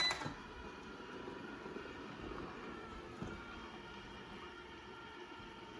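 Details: Used Eufy robot vacuum bought from Amazon Warehouse, first run on quick clean mode after a four-hour charge: steady, even whir with light brush and motor tones, no knocks or grinding; running normally.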